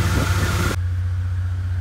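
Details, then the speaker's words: 2006 Jeep Grand Cherokee WK 3.7 after replacing the failed radiator fan and shroud that caused overheating: smooth, even low hum at steady idle with no knocks, ticks or squeals, run to operating temperature to check fan cycling. "next step is start it up get it to operate in temperatures and make sure the fan kicks on and off"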